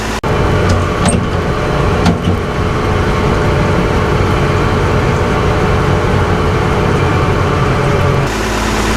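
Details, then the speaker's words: Gleaner F combine after replacing separator clutch shaft bearings: steady, even drone with smooth low rumble, no knocking, squealing or grinding; much quieter, though slight noise elsewhere may need bearings eventually. "there is absolutely no noise it is crazy it this combine is so much quieter already"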